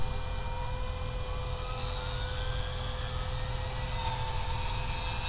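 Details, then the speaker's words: WLtoys V950 RC helicopter spinning up in 3D mode: a high electric whine with tones sliding upward and no steady drive note as the motor spins freely; stripped main gear. "doesn't sound right right something's I think we stripped the gear"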